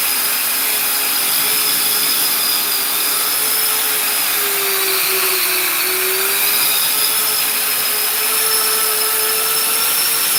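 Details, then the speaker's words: Custom 3D-printed 70mm EDF quadcopter, brand-new motors: high steady ducted-fan whine, one tone wavering and sagging midway; left rear motor suspected rough, possibly 4S motors supplied by mistake, debris found inside it. "These motors are brand new. I think one of them bad. Unless Unless he got 4S on accident. I don't know. I told him which one to order. It might just be that. It sounds like it's that left rear motor."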